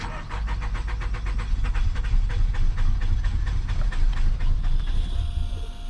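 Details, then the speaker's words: Nissan Altima 2.5 on a mobile call after fuel pump work: the new pump now kicks on, but the starter cranks steadily at about two turns a second with throttle and the engine never fires. Crank, no start; another fault remains beyond fuel. "Okay, come on, baby. Come on, baby. No hands. No hands. Oh man, come on, baby. There's still another problem."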